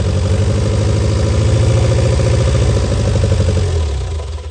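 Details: Barn-find Austin-Healey Sprite after long storage, on jump pack, throttle and choke worked by hand: lumpy uneven chuffing about four beats a second that falters and dies away near the end; rough running on choke.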